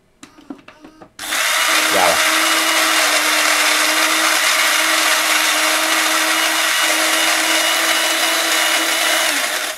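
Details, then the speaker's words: Philips LatteGo espresso machine, reassembled after being disassembled and cleaned, grinder test with beans added by hand: after a few clicks the grinder spins up to a steady, even whirr with constant hum, no catching or labouring; normal grinder operation. "Dobra wsypał kawy dobra mielimy sprawdźmy czy działa młynek bo to też ważne"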